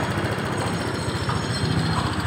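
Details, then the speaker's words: Honda Vario 125 injection scooter (bulb headlight model) with hard-starting and stalling complaint, idling steadily with a quick even putter after throttle body service and idle adjustment to about 1500–1600 rpm; normal elevated injection idle. "Oke Mas Bro, ini ada putaran sedikit. Kemudian pertanyaannya, Mas, kok yang ini ada putarannya? Iya, karena RPM-nya lebih tinggi."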